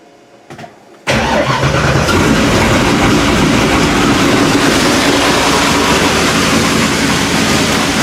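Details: First start of a fresh supercharged 408W stroker V8, recorded from inside the car after machining the harmonic damper for pulley alignment and sorting fan shroud cooling: quick crank, catches at once, strong steady lumpy idle, no ticks or knocks.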